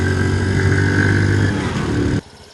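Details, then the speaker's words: Honda C90 with new OO Racing 19mm PB-style replacement carb, riding at full throttle: engine pulls flat and strained, speeding up when throttle is backed off; plug looks fine, owner suspects standard exhaust or airbox holding it back. "Yeah, it um if you give it full throttle, it is just and it actually speeds up if you back off the"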